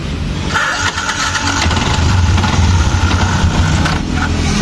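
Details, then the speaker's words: Yamaha Jupiter MX King with rough, noisy engine and hard idle, won't start without throttle: rough, clattering starter engagement, then uneven running with a dragging rattle; broken starter one-way clutch. "ini staternya berisik kayak gini nih jadi putaran dinamonya berisik"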